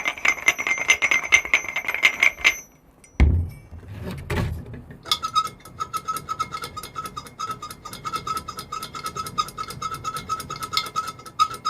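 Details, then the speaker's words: Water pump spun by hand on the bench: dry, gritty rattle with a fast ticking rhythm; failing water pump bearing, unlike quiet good pumps. "This is how a bad water pump sounds like when a bearing is failing."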